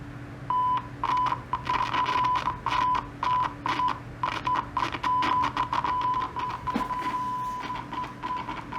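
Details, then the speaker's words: TEAC MB-20 meter bridge, function-generator test tone on input 1: tone breaks up with crackles and dropouts as the dirty push switch is pressed, before cleaning with DeoxIT; crackling dirty switch contacts. "So these are dirty. So you're going to hear when I push this down, it's going to sound all crackly."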